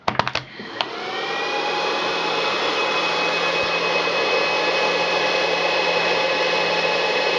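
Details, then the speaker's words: Two HP ESP135 DPS-600PB power supplies wired in series, before the quiet fan mod: loud steady fan roar with constant whine settling after startup; fans running normally at stock speed, just noisy. "so as you can hear the are quiet loud not too loud but still loud enough"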